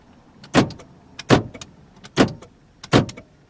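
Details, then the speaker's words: Power door locks on a 1987 Toyota Camry LE (4-cylinder, automatic) give four crisp, solid clunks about a second apart, each with a short rattle, the actuators working normally. "the door locks still work"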